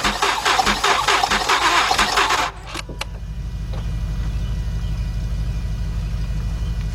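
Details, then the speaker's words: 2006 Mazda 6 from auction that cranks but won't start, during a compression test with the throttle held open. Cranking is fast and uneven with no firing, spinning too freely; no compression in the front three cylinders, and the mechanic felt the timing chain move. "I got nothing I got no compression out of these front three cylinders"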